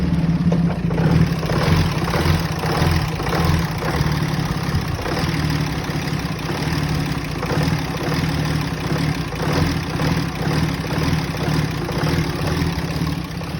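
Low, uneven idle with a loping beat of a little under two pulses a second; engine runs rough at idle, cause not evident.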